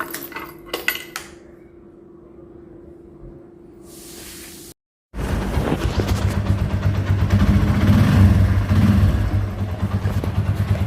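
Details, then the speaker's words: Motorcycle that wouldn't start, after replacing the faulty spark plug: after some handling noise, the single-cylinder engine fires up and settles into an even, steady putter around four beats a second, running smoother than before. "So இதுக்கு முன்னாடி விட ஸ்மூத்தா ஓடுது."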